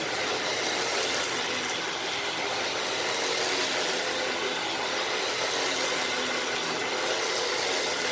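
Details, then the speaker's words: Dyson DC-15 vacuum, found filthy: high thin strained whine over steady rushing airflow; motor very whiny and in poor shape, still working but cleaning poorly. "And yeah, you probably can't hear that, but the motor is really, really whiny. Like this poor thing is just not in good shape."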